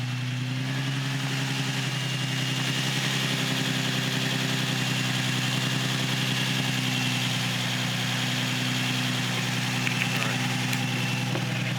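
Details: Nissan 350Z / Infiniti G35 after starter replacement: steady, even idle with a smooth mid-pitched hum and no misses or knocks; engine running normally.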